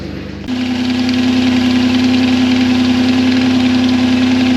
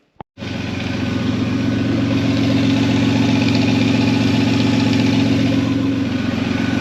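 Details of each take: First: 3.4L Toyota V6 (Tacoma engine) with a York AC compressor converted to an air compressor, first startup: a loud steady drone holds one pitch over the idle from the compressor's bad bearing; its pulley was also bent. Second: 3.4L Toyota V6 (Tacoma engine) with a York air compressor, after the bracket problems were fixed: smooth even idle with a steady low drone and no clicking or clacking from the belt-driven compressor; healthy running.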